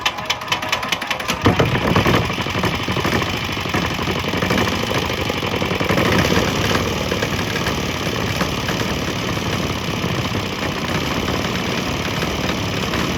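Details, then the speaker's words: Swan X 165F Chinese single-cylinder diesel just switched to a 50% used motor oil / 50% diesel mix; uneven, stumbling chug at idle. It is running, but not smoothly, apparently during the fuel changeover. "It's running, but not running as smooth right at the moment. I'm going to run for a little bit and see what happens."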